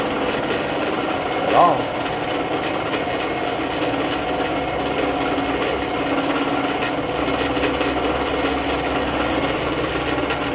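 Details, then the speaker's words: Dometic RV furnace blower with a 12 V DC motor, run on bench power after it wouldn't run in the camper; steady dry rubbing and rasping, no clean fan hum, wheel rubbing on something, failing motor. "I'm spinning that fan by hand here it's rubbing on something that's probably why it wouldn't starting in the camper"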